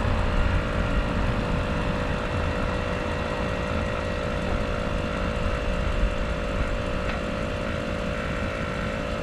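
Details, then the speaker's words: 2013 Audi A8L air suspension compressor raising and lowering the car, front coming down: steady, even hum with no chatter or strain. Normal operation; a popped-out internal recirc valve in the pump was later found leaking. "you can hear it doing what it's supposed to do the front came down"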